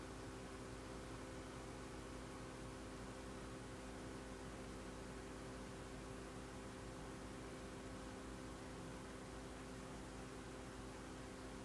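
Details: Dell Latitude D610 laptop: steady quiet fan whir, no startup sounds or drive activity; fan runs but laptop won't boot, cause unknown.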